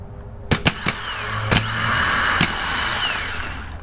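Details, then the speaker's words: 2008 Mercedes CLK550 (flooded, from Copart): known-good spare starter bench-tested, negative to case, positive to main post, jumper to control terminal; sharp clicks then smooth even whir spinning up and down. Healthy starter; the car's own starter did nothing. "So technically, if I will apply the positive onto the control, it should, you know, crank. Woo! It definitely cranks."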